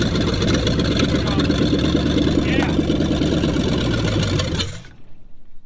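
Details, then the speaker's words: 1966 Ford Mustang 289 V8 barn find sat over 20 years, new fuel line: steady cranking about three turns a second for nearly five seconds, never catching; no start, owner plans electric fuel pump. "well i guess the philippines ain't working i need to be prying pretty good one that's under pressure try it one more time and i'll get the electric thing out wire it up"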